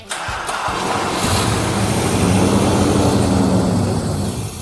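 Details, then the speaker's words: 1968 Chrysler Town and Country wagon, 440ci big-block V8 at 0 timing, right after reconnecting the brake booster hose that caused a vacuum leak and miss: settles into an even, deep, smooth idle. "Bingo! Really? Look how much better it runs already. Oh, no, it runs like a top."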